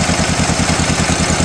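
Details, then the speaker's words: 74-year-old yellow John Deere Model L industrial petrol tractor idling after magneto condenser replacement and cleaning of the rotor and cap contacts fixed a no-spark fault. It gives a steady, even low chug with no misses. Magneto shutoff not working; radiator needs re-coring. Normal idle. "all right we got a running 74 year old John Deere model L industrial and it is yellow is original color 434 made I don't know if you can hear me but she sounds good"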